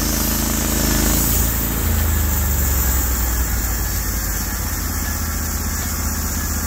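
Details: Norwood HD36v2 bandsaw mill, day two testing new roller guides that replaced the ceramic guides, slabbing big black oak through bark at about 24 in wide: the engine settles into a steady, even drone with no bogging or surging; the cut was flat and effortless with a good stream of chips.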